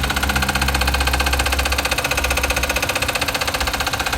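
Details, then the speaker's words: 2017 Volkswagen Vento at idle: quick even metallic clatter of about four beats a second from the engine's front/timing end; mechanics suspect the timing chain tensioner and plan to replace it. Cause suspected, not confirmed. "hace unos ruidos muy extraños ahorita les vamos a poner el ruido para que vean pensamos que es el tensor de la cadena de tiempo se lo vamos a cambiar y a ver si queda"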